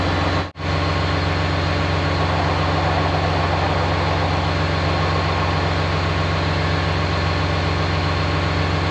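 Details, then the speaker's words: Rebuilt engine in ex-military John Deere 850J dozer, restarted at the brake, no load: deep, steady diesel rumble with even beat, no strain; normal idle. "Tucker shut it off, started back up again at the brake, started up fine, no load on the engine."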